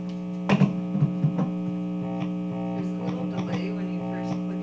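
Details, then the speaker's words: Guitar wiring hum during troubleshooting, with a humbucking pickup and grounds sharing the bridge as one common point (owner doubts a ground loop; the pickup wires may be reversed). A steady low mains buzz with overtones sits under each pluck, source unknown. "hmmm this is strange because this is supposed to be a humbucking pickup we could try the other ones and see what happens but I think it might just be worse"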